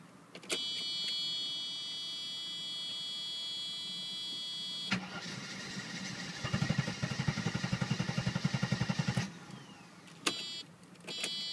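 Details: 1990 Mercedes 300SE with the 3.0 straight six, cold after sitting a day and started without starting fluid. The starter churns in quick even pulses for a few seconds but the engine doesn't catch. The owner suspects fuel adjustment, plugs, cables or vacuum leaks.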